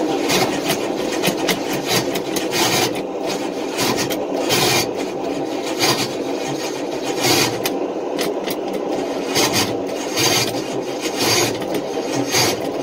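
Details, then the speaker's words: Long-stored engine on race fuel, rebuilt bearings, cranked on half-dead battery, 60 psi oil pressure: harsh rasping grind in repeated bursts, no firing; starter chewing flex plate teeth, remains fell into inspection pan. "and yeah flex plate is done whatever was left of the teeth are now laying in the inspection pan"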